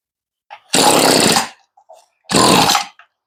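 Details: Stihl string trimmer (weedeater) that sat in the weather, after a fuel-line and carb rebuild: two short raspy two-stroke bursts, each under a second, dying away; running on full choke with a broken choke lever, with the mixture getting close.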